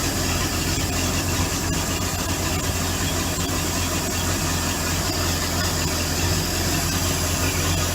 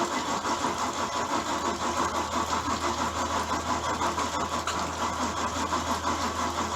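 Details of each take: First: Bayliner boat V8 idling in near-freezing weather during winterizing, running on a water supply while antifreeze is poured into the motor: steady low burble under loud water rush, firing evenly with no stumbles or grinding; healthy idle. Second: Bayliner boat V8, cold weather, after dead battery; labored uneven cranking at roughly three beats a second without catching, failing starter dragging the engine over. Slow cranking, failing starter.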